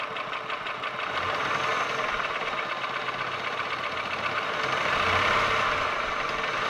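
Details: Holden Commodore VY V6, Series II Buick 3800 / Ecotec 3.8, idling with a fast, fairly even light tick about four per second; owner asks whether lifter/valvetrain or bottom-end rod bearing, not pinned down.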